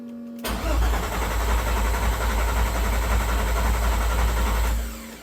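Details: VR6 3.2 swapped into a VW Caddy MK1, first start attempt, coil packs in, fuel pump forced on via a different relay: heavy even cranking about three and a half turns a second for four seconds with no firing.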